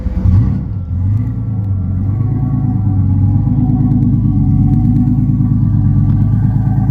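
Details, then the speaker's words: '73 Pacemaker boat diesel engine started after the oil pressure signal: starts first time and settles into a steady, even humming idle with no knocks or misses. Normal. "That puppy's running good. Hear it? Sounds good, huh? Oh, yeah. Humming. Sucker starts up first time."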